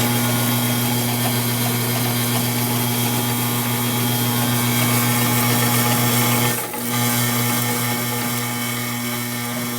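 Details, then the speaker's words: Modified Pro Cut variable-speed belt grinder (trued 8-inch rubber contact wheel, stabilized idler arm) started up: steady even high-speed hum, constant tone, faint regular belt tick; running normally. "so this is a variable speed machine I started up give it a run and you can see what it sounds like"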